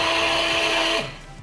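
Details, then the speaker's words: Old Philips hand cake mixer runs with a harsh, raspy hum and slow rotation, then winds down; likely a dry, very dirty bushing causes the roughness. "seperti itu ya Suaranya sangat kasar sekali ya kita lihat lubangnya dan putarannya itu Pelan sekali ya suaranya kasar kemungkinan ini bosingnya ya"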